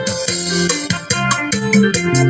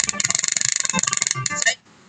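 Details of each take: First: Bluetooth speaker after replacing failed FT2705 amplifier IC that crackled at high volume, played over two minutes: music loud and full with no crackle, popping or breakup; working properly. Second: Bluetooth speaker with failed FT2705 amplifier IC (customer blamed the volume control): harsh, rapid, sharp crackling pulses break up playback when volume is raised, then sound cuts out.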